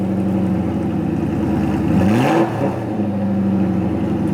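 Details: 1993 BMW 740i, M60B40 V8, started right up after standing all winter on a new battery: deep, even rumble, quick rev rising and settling smoothly, no misses; normal start and idle.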